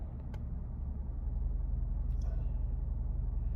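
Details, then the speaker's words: 2017 Hyundai Genesis G80 3.8 with 41,481 miles, running rough with white smoke from one tailpipe after refuelling. Low uneven idle with a stumbling beat about four times a second; misfire with flashing check engine light, traced to a bad fuel injector. "I don't see any white smoke right now, but we do definitely have a misfire. The check engine light's flash, and I can feel it just sitting here."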